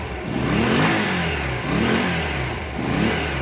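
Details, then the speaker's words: Honda CB250 cafe racer, idle set a bit low: the engine picks up cleanly on each throttle blip and settles back smoothly with no misses or knocks. It runs healthy. "Alright? Yeah, good, you? It sounds healthy to me, guys."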